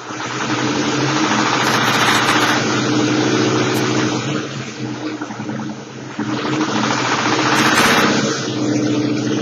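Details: 2004 Ford Mustang engine running with a steady, fairly quick tick or knock under a droning hum. The ticking is the deeper sound; the high tone is the mic. Cause unknown.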